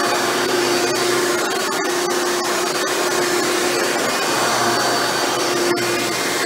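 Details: Hoover Elite upright vacuum after a motor rebuild with new motor bearings, test run without headlight bulb: smooth, steady motor whine with an even rush of air, no grinding or rattle; runs much better than when first acquired. Normal running.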